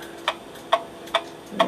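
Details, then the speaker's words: Movement of an 1890 kitchen (gingerbread) clock, after cleaning, silver-solder repair and oiling, run on a vise with an amplifier. Crisp, even ticks about every 0.43 s, near 140 a minute, with a balanced beat; it runs healthily. "Temporarily on the vice just to see if it's going to run. Got an amplifier on it so I can hear the"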